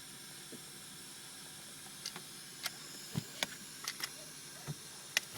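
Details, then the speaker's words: Mercedes S500 pneumatic comfort system, 11 years old: a faint, constant high-pitched hiss with small clicks. Air leaks near the centre of the rear shelf, so the outer rear headrests don't rise when the seat belts are buckled. The leak location is still to be found. "seat belts are buckled but you'll hear that there is an air leak so the two outer ones do not come up and leak you can tell is coming from somewhere around the center part here"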